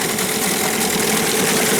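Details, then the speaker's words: New Hangkai 9.8 two-stroke outboard after 6 hours of barrel break-in on a 1:25 TCW3 mix: even steady drone at fast idle. Engine at 40–45°C with barrel water around 20°C, no overheating, knocks or surging; it runs smoothly. "Никаких особо проблем с перегревом, как люди кричат. Двигатель не горячий."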